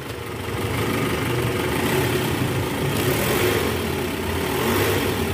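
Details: 2010 Toyota Vellfire, 2AZ-FE 2.4L, after balancer shaft replacement, in reverse: smooth, even idle with no knocking or rattle; normal idle in reverse.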